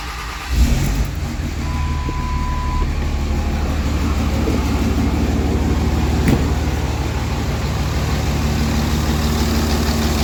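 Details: Dodge Cummins diesel with 48RE, after tightening hand-tight injector tubes and new fuel filter primed; engine catches and settles into a steady, even low idle, no misses or knocks, smoother than before.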